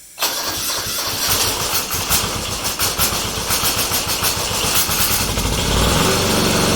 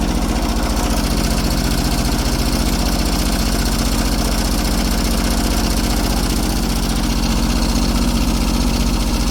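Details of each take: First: Kubota G4200 garden tractor, first start after full restoration and a rebuilt, bled fuel system: the starter churns unevenly for several seconds before it slowly catches. Owner suspects a part fitted the wrong way round. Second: Kubota G4200 garden tractor diesel, first start on blocks after restoration, with the fuel system redone and bled: a steady, even chug of about four beats a second with no misses or knocks, a healthy idle.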